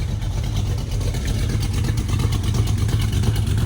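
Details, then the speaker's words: Dodge Dart V8 after swapping a gummed-up Edelbrock carburetor for a 4150 double-pumper carburetor: steady, lumpy idle with an even low rumble and no misses or knocks, smooth and crisp. "Idle so much happier. Hell, it sounds way snappier, too."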